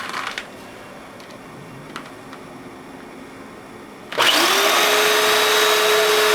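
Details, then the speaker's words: Eureka Powerspeed upright vacuum run too long without cleaning the filter: motor starts with steady high strained whine, grinding, won't pick up gravel; filter and hoses plugged with dust and sand; blocked vacuum hose, no suction. "yeah it doesn't even suck that gravel up and you can hear the motor just a grinding in there"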